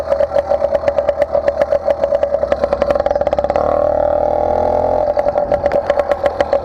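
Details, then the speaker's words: Motorized bicycle two-stroke with stock intake and cheap carburetor, ridden: fast buzzy note that burbles and blubbers as revs climb; running a little rich at the top end. "Not too cold. And to be honest with you, this one's a little rich on the top end."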